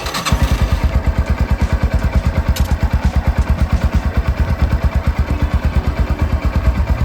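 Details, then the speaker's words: Idle of a 30-year-old Yamaha SR150 single-cylinder motorcycle, fitted with a larger oil pump and CNC-machined clutch plates: even, steady low thumping, about five beats a second, with no clicks or rattles; the engine runs very quiet and healthy. "ちょっと聞いてみてください。実はすごく静かです。"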